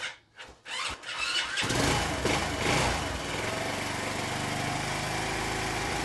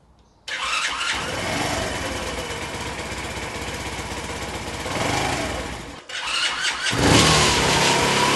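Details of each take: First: Honda C90 with a new aftermarket 19mm PB-style carburettor, throttle cable shortened for free play: a few cranking thuds, then it catches and settles into a steady, even single-cylinder idle with no hunting. Running normally. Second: Honda C90 with a replacement OO Racing 19mm PB-style carburettor, full choke: cranks, catches, stalls, refires and holds a fast race; high idle because the throttle cable has no free play.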